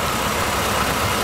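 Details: Dodge Challenger pace car V8 on EZ-EFI self-tuning injection, still learning, with the air temp reading a little high. Steady, even idle with a smooth exhaust note, no knocks or misses: normal.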